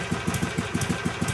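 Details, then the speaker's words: 2006 Harley Sportster 883 converted to 1200 with upgraded intake and exhaust. A steady, even loping V-twin beat at idle; the idle is pretty tame, and this is normal idle. "as you can hear the idle's pretty tame"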